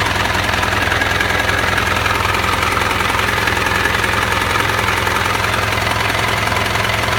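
Steady idle with a regular knocking tap about three times a second riding over the engine; source not pinned down yet.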